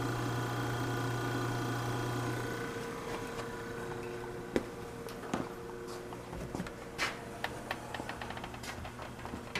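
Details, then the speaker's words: Vintage Westinghouse fridge compressor after a start attempt, drawing 2.4 A against 3.2 A nameplate in a cold room. A steady low hum fades under nearby clicks and taps. It runs normally, with frost forming on a line. "this is a start attempt 2.4 amps and she's running doesn't even sound all that bad it's a 3.2 amps according to the nameplate"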